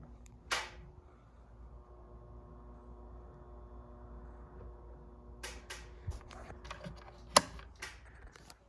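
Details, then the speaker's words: 52-inch Commander Angel ceiling fan, restored, on a non-original replacement wall control from eBay: faint steady electrical hum with a few clicks; the fan and wall control hum on speeds 1–4, while speed 5 (highest) is quiet. "So I'm gonna turn it on. The fan and the wall control makes a humming noise, by the way."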